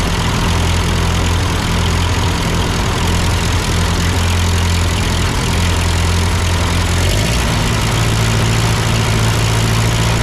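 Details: Ford 8N tractor at idle with no load, during a carburetor adjustment. It had sputtered uphill, blamed on a cheap Chinese carb; an old Marvel-Schebler ran fine. Low, even idle rises slightly as adjusted, no stumbling: normal idle.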